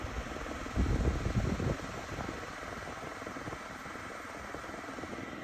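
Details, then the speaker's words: Portable AC after PCB repair/replacement (PCB had not powered on): soft steady hum and fan rush, no knocking or rattle; compressor and indoor fan motor running together normally. "അതുപോലെ തന്നെ ഇതിൻ്റെ compressor work ചെയ്യുന്ന ടൈമിൽ തന്നെ indoor fan മോട്ടറും work ചെയ്യും."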